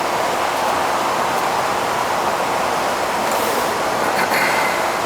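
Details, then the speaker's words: AC condenser fan after a miswired, weak capacitor was replaced; it previously ran backward, likely since new: steady, even rush of air with no knocking, rubbing or wobble; now blowing out the way it should, running normally. "The capacitor was wired wrong. I put a new one in it because it was weak, and we'll check the charge. It's blowing out the way it should now."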